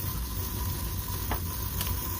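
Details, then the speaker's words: Refrigeration liquid line solenoid valve with coil physically removed and king valve opened: steady hiss over low rumble as refrigerant feeds through, valve not closing; found installed with flow arrow backwards. "you hear that but that's actually making noise as it's feeding through there all right yeah so it's not closing down at all"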